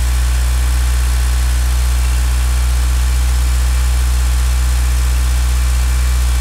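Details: Mitsubishi Galant VR-4 first start after engine overhaul; steady even low idle hum with a quiet valvetrain and no lifter tick, possibly thanks to the lifters soaking six weeks in diesel.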